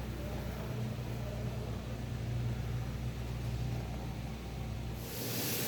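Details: 2019-2022 Nissan Kicks driving with a low, steady drone under road rumble; rear wheel hub bearing humming, fixed by rear hub bearing replacement; rear wheel bearing hum.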